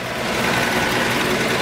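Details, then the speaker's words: 1941 Chevrolet Master Deluxe Sedan Delivery, restored, showing 6,517 miles, 216 straight-six with oil bath carburetor, 3-speed manual, inside throttle on lowest setting: even, settled idle with no misses, knocks or ticking; normal, healthy idle. "Straight 6 under the hood. Fires right up every time. These motors are very reliable."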